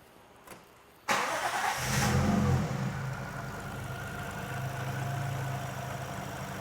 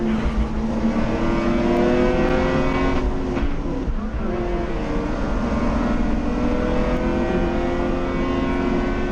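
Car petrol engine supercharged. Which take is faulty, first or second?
second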